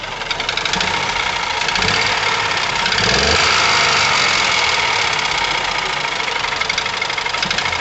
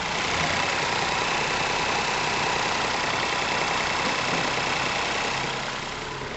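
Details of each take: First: Ford Ka 1.0 12V three-cylinder, microphone near engine: harsh metallic knocking over a rough, vibrating, misfiring, powerless engine, louder when revved twice; ignition and injection ruled out. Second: Ford Ka 1.0 12V three-cylinder after engine repair for knocking, vibration, misfire and lack of power; even smooth idle with soft steady churn, no knock, mic close to engine; normal idle.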